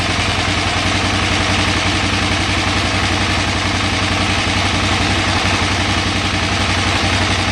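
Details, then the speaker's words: 2008 KTM 990 Adventure, warm, in neutral, just after reconnecting the neutral/2nd/3rd gear switch: steady idle with a fast, slightly uneven pulse, no misses; idle sits low and slowly recovers toward 1450 rpm. "So, doesn't like the idle now. But if I can get it running, let it run for a little bit. Now, slowly the idle RPMs will pick back up to 1450."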